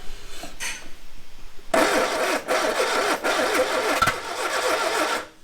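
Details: Barn-find Ford Corsair 2000E, sat for years, cranking after plugs cleaned, brake cleaner sprayed and coil wired directly: steady cranking about three and a half turns a second with odd pops, never catches; no start blamed on a bad plug lead.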